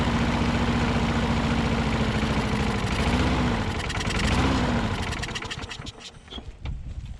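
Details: Older Troy Bilt push mower with priming and governor issues, float bowl gasket leaking fuel, main jet not pulling fuel; chugs unevenly, speed sagging and surging before dying; poor running.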